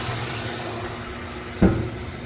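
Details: Older washing machine, over 10 years old, after replacing the slow-filling water inlet valve, on light load: steady rush of water into the tub, even flow with no sputter or hesitation; fill now normal, fixed.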